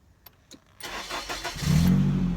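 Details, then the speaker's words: Nissan 240SX project car with a new battery, fitted because the old one kept draining: a few clicks, brief crank, then catches and settles into a steady low idle; normal clean start, car back to life. "I am so happy, guys. Car's back to life."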